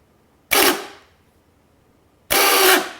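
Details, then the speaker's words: Replacement starter for a Mercedes W113 280SL Pagoda, bench tested with booster pack: two short harsh, gritty free-spinning bursts dying away roughly; rust near the shaft end, perhaps from sitting too long. "oh no that sounds terrible okay we're going to have to do some here because that starter is not going in the car"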